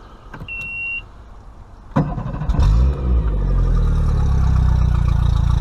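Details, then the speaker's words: Mercury 50 hp outboard at its first break-in service, run on water earmuffs. A brief chirp, then the motor catches at two seconds and settles into a steady, even low beat; no water is coming from the telltale yet, so the earmuffs need adjusting. "now to me the motor on this boat right here if you can hear it sounds like a volkswagen"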